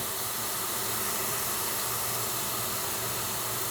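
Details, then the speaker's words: Basement ceiling supply pipe leaking water with the supply turned on: steady hard hiss with no rhythm as water sprays from a pinhole. "Turn it on. I can see it pissing right out."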